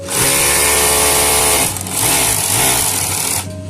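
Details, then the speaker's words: Overlock sewing machine suddenly louder while running though stitching is fine; harsh, loud metallic rubbing hiss at speed, traced to hardened lint packed under the throat plate causing metal-on-metal rubbing. "এশি ঠিক আছে সিলাই ঠিক আছে কিন্তু মেশিনের sound বেড়ে গেছে"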